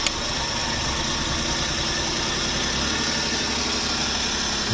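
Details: Suzuki DA64V van with crank-no-start and water reaching the piston, now repaired: steady, even idle with no misses or knocks, holding speed smoothly; sounds healthy.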